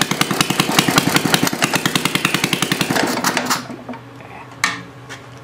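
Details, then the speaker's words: Homemade water-cooled Briggs & Stratton single-cylinder engine, about 65 years old, after valve seat work: uneven loping chuffs two to three a second with dropped beats before it dies; galloping run with occasional misses; no smoke; judged good enough. "here got that gallop to it got that Gall get out that Miss every once in a"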